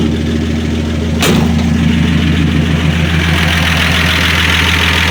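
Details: 1965 Dodge Dart, 225 cid Slant Six, after replacing distributor cap with heavy-duty brass-contact cap and NOS rotor, 6–7 ft straight pipe, no muffler; catches on sharp crank, settles into loud, throaty, even idle: normal start.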